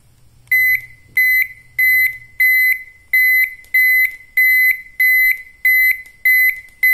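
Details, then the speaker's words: Normal turn signal buzzer on an old Toyota Kijang's relay flasher circuit: a buzzer wired with the lamps to the switched plus line. Crisp, even, clean high beeps about 1.5 s apart once a poor solder joint was fixed. "dia putus nyambung seperti ini menghasilkan suara kayak gini sebar ini kurang bersih ya tenolnya jadi suaranya jelek sebentar saya paskan"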